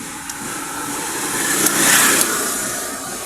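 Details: Motorcycle with new battery, key start attempt; high airy whir swells and fades with no cranking beat, something just spinning inside, battery strong; starter spins without cranking engine.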